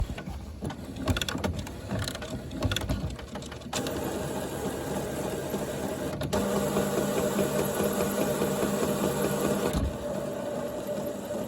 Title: HP Photosmart plus printer making strange noises￼